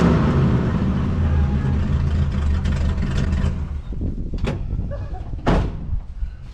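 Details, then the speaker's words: Cummins diesel just installed, straight-piped open exhaust: deep loud even rumble that then quiets down; running clean and healthy. "That sounds so good."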